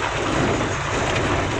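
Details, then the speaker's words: 2008 Suzuki Swift after front suspension, steering rack, driveshaft and front brake service; road test on a rough road with the window down, earlier jingling rattle gone; only smooth wind and road noise, no front-end rattle. "Mas sejauh ini sih aman Bang gerincingnya udah enggak ada lagi Ya Nah insyaallah untuk mobil ini kayaknya udah aman Bang"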